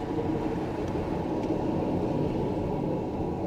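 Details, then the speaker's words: Hyundai Tiburon Turbulence project car while braking: harsh, steady grinding from discs eaten by the brake pads, very loud when braking. "Hé, c'est le bruit du disque rongé par les plaquettes de frein. Lorsque vous appuyez sur les freins, c'est vraiment fort."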